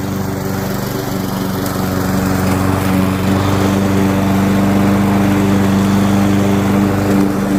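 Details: Curbside-found Weed Eater walk-behind mower, flywheel key previously broken by a blade impact, holding a smooth, steady buzz with even firing, no misses or knocks; normal running, owner plans a carb tidy, rinse and oil change.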